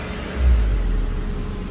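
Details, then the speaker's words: Honda S2000 warmed up at idle after clutch fluid work: a low, even rumble as the electric radiator fans come on with a soft, quiet rush and shut off quickly; normal fan operation. "See how long they uh take to turn off. pretty quick. Very efficient fans. Very quiet fans, too."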